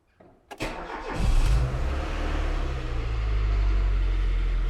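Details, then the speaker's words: Rover CityRover first start after five months locked up: brief cranking catches quickly and settles into a steady, even idle with no stumbles or knocks. It is a healthy start, though the brakes are sticking. "we go car number one he's alive"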